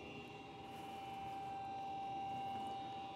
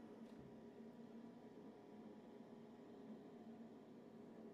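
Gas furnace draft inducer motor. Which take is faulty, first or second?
first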